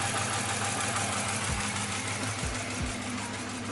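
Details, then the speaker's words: 2006 Dodge Charger 5.7L Hemi, steady idle with a light tick about three times a second in time with the cam, owner suspects a bad lifter on the right side; coil packs, compression, cam sensor, PCV, MAP, injectors already checked; occasional puffing backfires. "Listen to this. I mean, it's going with the cam, but I will say, I think a lifter went bad. I think a lifter went bad. And I think it's on the right side too."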